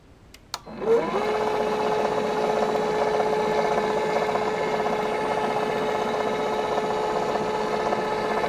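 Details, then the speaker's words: Unicum tubular motor for submerged pool cover, red fault light steady, tested in forced mode with multimeter: click then steady hum with faint even ticking about four per second from the mechanical sensor pulses; sensor good. "Et les impulsions que j'entendais à mon multimètre, ce sont les impulsions du capteur du moteur. Donc là, il est bon."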